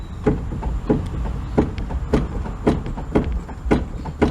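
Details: Fiat Uno Mille with a toc-toc knock felt through the steering: dull knocks about every half second as the wheel is rocked; tie-rod end moves slightly, but the noise comes from inside the steering rack.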